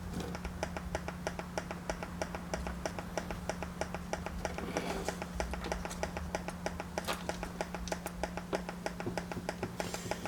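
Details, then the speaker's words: Yamaha mixer board powered up and heard through the headphone output: a steady low hum with a fast, fairly regular pulse of about three per second, the board's fault, traced by oscilloscope testing to faulty transistors. "as you can hear, there is a pulsating sound that you can hear through the headphone. That's the problem with the board."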